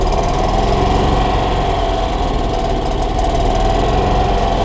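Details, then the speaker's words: 1993 Club Car golf cart engine after sitting 6+ months, carburetor cleaned and refitted; loud uneven idle, loping beat about three pulses a second that never settles. Rough running; owner suspects a vacuum leak. "yeah i think i still have that vacuum leak"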